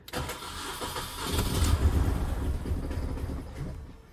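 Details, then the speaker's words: 2001 Mini Cooper R50 hard to start, held at fast idle with a wood block on the throttle, running lumpy and stumbling with some backfires; cylinder 1 found with no injector pulse and no compression, plugs already replaced, coils and leads already checked. "um is even obviously a little bit hard to start because um it just it's just running like on two cylinders"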